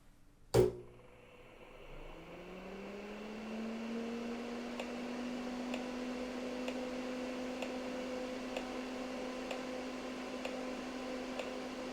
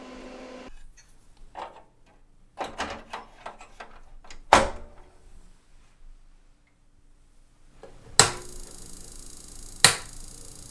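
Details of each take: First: PCs Limited (Dell) 286 power-on after removing the vocal synthesizer, modem and I/O cards (earlier overcurrent): sharp click, fan spins up to even hum, one short beep; clean normal POST. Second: PCs Limited (Dell) 286 power-on with cards reinstalled one at a time: sparse clicks then two sharp loud pops; supply overcurrent from shorted tantalum capacitors on the faulty I/O card.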